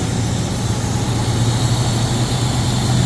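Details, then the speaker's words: Engine after spark plug blowout repair, oil cooler still leaking coolant: smooth, even low idle with steady hum, no misses or ticking, holding fine with AC compressor engaged; normal idle. "yeah, sounds good. All right, I'm happy with that. Shut it down."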